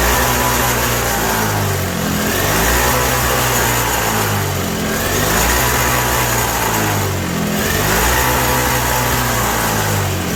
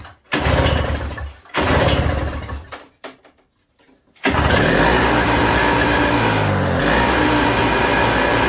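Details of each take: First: 1987 Toro CCR 2000 snowblower two-stroke, cold, with a newly fitted replacement carb; surges up and down every couple of seconds and never settles even on choke. Running lean, and jet adjustment in or out has no effect. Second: 1987 Toro CCR 2000 snow blower after carburetor replacement, still cold: two cord pulls, then it catches and holds a steady, crisp buzz with no surging; running properly.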